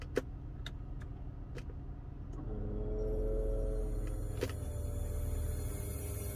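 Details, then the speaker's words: 2002 BMW 325i: steady low drone with a faint tone from inside the dash, present only with the AC on and gone when it is switched off, not from the power steering; AC noise, source unconfirmed, owner wonders about compressor oil. "this is a bmw 325i 2002 whenever i turn on the ac a noise is coming from somewhere inside the dash look at this"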